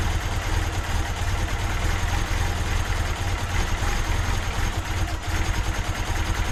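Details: Turbo D16 Honda Civic with a newly installed Speed Factory Savage cam, after about 20 minutes held at a fast idle around 2000 rpm: a deep, even, smooth drone with no ticking or misfire, running healthy.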